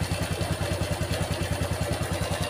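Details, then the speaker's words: Honda Revo FI (fuel-injected) motorcycle, owner complains of rough noise: fast, even ticking clatter over a rough single-cylinder idle; worn camshaft lobe and rocker roller causing valve train chatter. "ini suara motornya kemrecek gitu kemrecek ada suara kresek-kresek nya"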